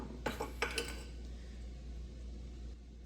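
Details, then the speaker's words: Failed driveshaft U-joint from a roughly 700 hp Hellcat Hemi, worked by hand: four sharp metallic clinks from a displaced needle bearing. The joint shows bluing, discoloration and an egg-shaped cup. "did y'all hear that? Got a bearing out of whack."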